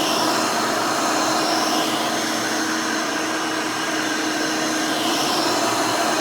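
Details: Rebuilt Hoover Elite 600 upright vacuum, built from parts of several Elites, with a new 7 amp motor and 20-blade fan replacing the original 6 amp: a steady, even rushing hum with a constant high whir and no rattles or pitch wobble. Runs smooth and fairly quiet.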